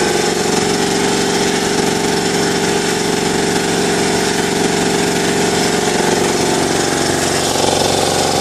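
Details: New Ingersoll Rand TS4N5 80-gallon compressor, 5 hp 230 V motor, 15.8 CFM at 90 PSI, 175 max PSI, cuts in near 140 and off at 170 PSI: even, fast chugging at about four beats a second over a steady motor drone, no knocks or squeals; normal running.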